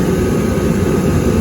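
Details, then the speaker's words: Hot water pressure washer oil burner: steady, even roar with no sputter, pulsing or flame-out; igniter shuts off properly after lighting, burner firing normally. "the igniter actually had shut down when it didn't light, and then it shut down again after it lit. So everything's working exactly the way it's supposed to."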